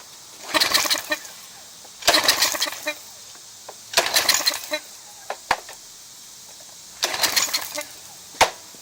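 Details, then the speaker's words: Craftsman 2700 PSI pressure washer, Briggs & Stratton 175cc engine (model 580.752871), no-start after owner changed oil and plug; air filter off, runs on ether starting fluid in short sputtering bursts then dies; has spark and compression, fuel starvation from clogged carburetor main jet. "If it runs and dies, right, off the ether starting fluid, it's burning the gas and it stops running once the gas is not done."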